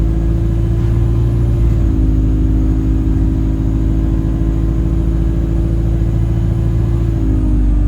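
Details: Alexander Dennis Enviro 200 E20D bus on the move: constant mid-pitched whistle over the diesel rumble, stepping with speed, later turning horn-like; the bus felt sluggish and the owner suspects the gearbox, as it was much louder toward the front.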